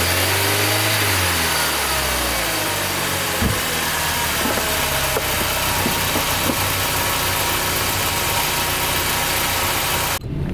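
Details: VW Golf MK4 with failed plastic water pump impeller glued with JB-Weld, thermostat removed, starting after emergency repair: engine catches and settles to an even idle under loud hiss, no crunching or grinding from the water pump; sounds healthy.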